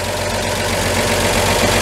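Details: 1949 Chevy 3100 pickup, worn 216 straight-six due to be swapped for a rebuilt 235, idling after brake adjustment and parking-brake cable maintenance: even, steady low rumble with no knocks or stumbles; still in good running shape.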